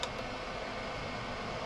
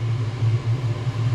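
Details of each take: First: Chinese 5kW diesel heater in motorhome, unplugged before cooling down; fan still running after shutdown though unit is cold, gauge reads hot; steady fan whoosh, no burner sound; factory reset attempted. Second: Chinese 5kW diesel heater in motorhome, fan previously stuck running on, test run at full heat; deep, steady jet-like roar with no surging or sputtering, warm air out quickly; running normally.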